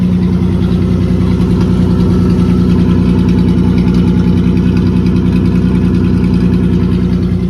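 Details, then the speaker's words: 1950 Dodge B2B truck, parked since 1978, running on new fuel hoses, clamps and filtered gas with the fuel pump working and no leaks: a steady, even low idle with a smooth regular beat and no misses or knocks. Normal idle. "Fuel pump's working. No leaks. This thing is running amazing."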